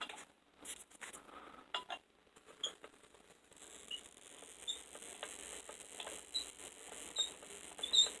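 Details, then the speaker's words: Van de Graaff generator being cranked while wirelessly lighting a halogen bulb: faint, irregular, sharp crackling ticks, roughly one a second, in a quiet room; normal corona discharge, energy dispersing. "did you hear that it's let's lighten up a little bit in there but that noise is energy dispersing"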